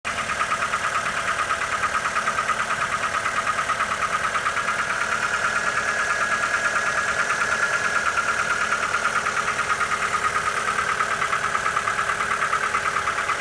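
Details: Mitsubishi Lancer 9 1.6 automatic: sharp, regular knock about three times a second over steady idle, clearly audible above engine hum; engine knock.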